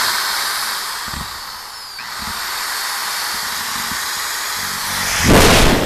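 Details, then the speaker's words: Homemade power inverter running from battery, beeping, powering a battery charger, 7.5 amp Sawzall and 1/2 hp 5 amp drill at once: steady hiss, drill spins up cleanly and pulls strong; inverter handles the load fine. "As you can hear, the unit's kicked in. Probably hear the beeping noise, but I'd say it's time to test this unit."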